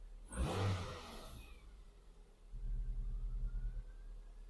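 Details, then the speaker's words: 2002 Toyota Yaris with previous engine misfire, restarted after clearing fault codes: short rev rises and settles into even low idle, nice and smooth, no vibration; normal engine running. "now nice and smooth no vibration nothing"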